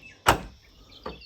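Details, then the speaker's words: Ford Falcon (EF–BF) boot lid with heavy spoiler and worn gas struts, opened with button while lid is pushed up for preload: one sharp latch pop then a softer thump, no groaning; opens cleanly. "it opens perfectly fine."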